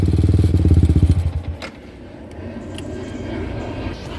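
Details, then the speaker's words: Yamaha R15 V3, 50,000 km, 5 years, modified exhaust with cut pipe: revving blips each with a loose tinny rattle, then idle; exhaust slip joint loose and shaking, owner plans to tighten it. "Suaranya kayak gitu ada gemriciknya karena ternyata itu pipanya sambungan kayak pipa paralon ya"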